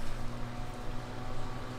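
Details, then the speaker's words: 2004 grey Duracraft turbo desk fan, before restoration, on low speed: steady, low hum with soft, even airflow and no rattle, ticking or scraping. Runs smoothly. "well there it is running on low it's a fantastic Runner"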